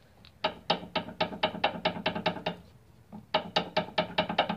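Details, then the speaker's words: Toyota Camry or Corolla with the suspension rocked by hand: rapid sharp clunks about two a second; worn stabilizer links and stabilizer bar bushings, to be replaced. "you could hear that and that's just me doing this you can only imagine with the load of the vehicle on it and you know all that other crap the noise gets amplified"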